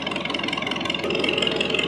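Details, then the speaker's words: 1930 McCormick Deering 22-36 tractor, formerly hard-starting, after carburetor, fuel system and magneto points cleaned and adjusted: even steady chugging beat, no knocks or misses; normal running. "and just cleaned everything up real good. And now it runs really well."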